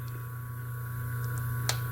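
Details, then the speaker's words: Motor fitted with an undersized 7 µF run capacitor: a loud, constant low AC drone that never reaches normal running. Current is 2.2 A and the auxiliary-winding current is very low, so the current lag goes uncompensated. "Aí já dá um pouco já começa a ficar roncando, porque sinal que não está. Já ficou dando aquele sinal de corrente alternada roncando."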